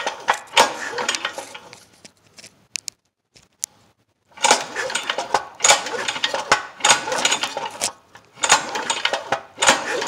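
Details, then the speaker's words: Cheap go-kart small single-cylinder engine with good spark, finger over spark plug hole during recoil pulls: engine spins freely with no puffing or resistance; zero compression, exhaust valve seen moving. "I put my finger over the hole here then to feel if we got any compression. We have zero compression."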